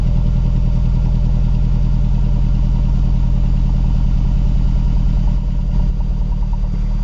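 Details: Mazdaspeed3 / MPS cold start: lumpy uneven cold idle pulse stumbling every few beats, looks like misfire, unconfirmed; rough idle.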